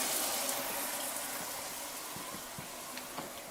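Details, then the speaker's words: RV water heater hot-water output after replacing a failed brass 1/2" check valve (split o-ring, spring vibrating against casing had caused a squeal): steady hiss of water flow, no squeal or whistle; normal quiet flow. "Okay, check valve installed. Looks like no leaks. Give her a test now. That sounds better."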